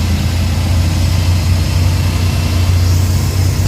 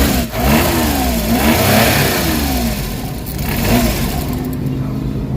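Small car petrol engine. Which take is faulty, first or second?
second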